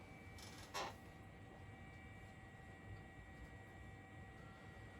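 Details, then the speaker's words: Flashforge Adventurer 3 3D printer, 4 years old with about 1363 hours, switched on: faint, steady hum with a thin constant high tone as the rear fan runs normally. "uh sitting about this might have Sitting where is the status um on at the moment here you can hear the fan running in the back"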